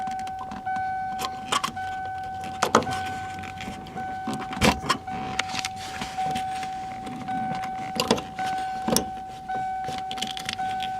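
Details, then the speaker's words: 1992 first-gen Ford Explorer after fuel pump replacement, key cycled repeatedly: thin steady electric hum starting and stopping each cycle with relay clicks between; normal fuel pump prime. "all right, on, off, this is fuel pump prime, okay, again, off, one more time."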